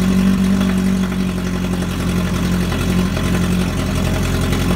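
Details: NASCAR Herbie #1 Beetle race car from the 2005 film, 2332cc high-performance air-cooled motor, first run in about a decade; a deep, steady, lumpy idle with even firing and no knocks or rattles, a normal idle.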